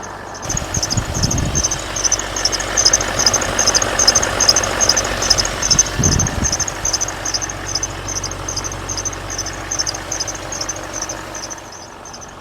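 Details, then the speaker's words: 2012 Range Rover L322 4.4 TDV8 running: rhythmic high "eek eek" chirp like a great tit, not belt squeal, loudest near the recon alternator; owner suspects the alternator, source unconfirmed. "It's not squealing belt. It's an eek eek. It sounds exactly like a great tit in the morning to be honest."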